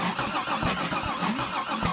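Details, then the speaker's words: Big-block V8 turned over on the starter with unadjusted valves: a hollow whack on each turn; rockers suspected of striking the valve cover, judged harmless. "Not gonna lie, that sounds like something's whacking into something somewhere. But I think it's on the other side of that valve cover."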